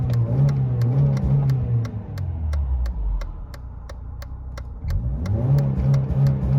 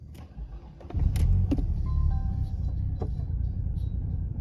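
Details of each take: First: 1993 Mercedes 220CE W124, M111 2.2 engine, after new throttle body and coil harness wiring, warmed up on old fuel: two clean blips back to steady idle, no stumble or hesitation. Smooth revving. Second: 1993 Mercedes 220CE W124, M111 2.2 engine, before throttle body and coil harness wiring are replaced: uneven, lumpy idle with irregular low thumps and stumbles, three to four a second; rough idle/misfire, cause unclear.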